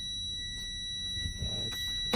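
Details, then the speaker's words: Combination truck with air brakes, CDL three-point brake check, fanning brakes down to about 60 PSI: steady high-pitched buzz about two seconds over faint cab noise; low air pressure warning triggered as expected. "When the low air warning lights, brake lights will come on, and you'll hear a buzzer noise."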